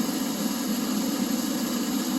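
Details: Oil furnace in an unheated garage, 31°F outside: steady motor-and-fan hum, no flame roar building, only fires with door shut; burner fails to ignite, owner suspects plugged nozzle.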